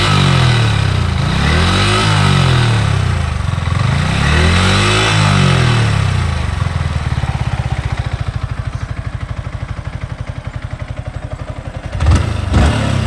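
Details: Yamaha R15 V4 at 13000 km, noise only once warm: uneven clattering over the engine beat at idle and through revs, steady with speed; cause unknown; engine noise when warm.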